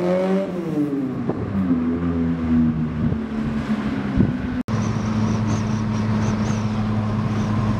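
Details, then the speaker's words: Mk1 Fiesta XR2 with Jenvey throttle body and Omex 600 EFI, after remaking the inlet manifold and laptop mapping, on the road in snow: engine rises smoothly through the revs then settles to an even cruise. Runs normally after the fix. "yeah that's so much better yeah it got there in the end"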